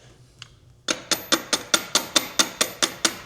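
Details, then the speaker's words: 2003 Harley-Davidson Sportster 100th anniversary, starter button pressed: sharp metallic clicks about two per second with no cranking; faulty starter motor, replaced. "Hear the click, click, click. So if you hear that, it's generally your starter as a rule of thumb."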